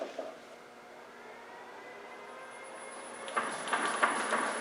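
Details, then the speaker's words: Land Rover R380 gearbox running with rear bearing seal out and collar off, checking oil reaches the rear bearing: whine rising with speed, then loose irregular clacking; oil pours out, confirming lubrication. "Like I said, the seal's out, the collar's off, but it's going to be noisy, this box. It's going to be a noisy box."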